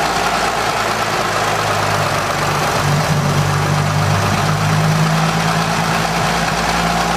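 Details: 1920 Seagrave fire engine, first start in 60 years after a full rebuild, exposed engine with compression release off: loud, steady low idle, even deep drone, no knocks or misses, running smooth and healthy.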